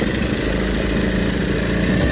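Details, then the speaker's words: Honda RC213V-S, freshly assembled with oil primed, first start: even, steady idle with a smooth throaty pulse, no knocks or rattles; healthy first run. "There it is. First time running."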